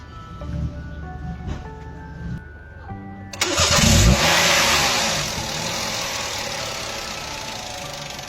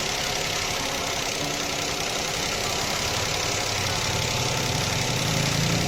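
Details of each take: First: Toyota engine after repairing a misfire traced by disconnecting ignition coil connectors and fixed by replacing a damaged coil connector terminal pin: it catches quickly on the crank and settles into an even, steady run without stumbling, over background music; misfire resolved. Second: Toyota engine at idle: uneven, stumbling idle with a hissy top end and a beat that keeps dropping out, with visible smoke; one cylinder misfiring, traced to a damaged ignition coil connector pin.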